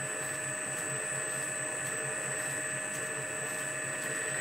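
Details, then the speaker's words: Lorch A11 toolroom lathe on an overhead flat-belt drive, variable frequency drive at 50 Hz, running up to 1400 rpm: smooth, even motor hum with steady tones and a faint regular belt tick; running normally. "if we press the green button this will start nice and slow and pick up you can hear the belts there pick up down there to 1400 rpm"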